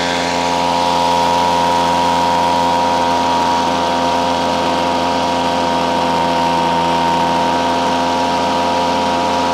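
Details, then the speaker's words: Ryobi CS26 two-stroke trimmer on a replacement carburetor, high-speed mixture screw being tuned by ear: even buzzy drone held at high revs with no misfire or surging; running steadily at speed. "what I was listening for is you could hear the machine go up an RPM and then go down an RPM once it starts going going down in RPM go back the other way"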